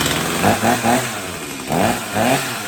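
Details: Stihl MS250 chainsaw after carb tuning for not restarting when warm, cold start on a cold morning: crisp throttle blips rising and falling cleanly with no bogging or sputter; starts and revs healthy.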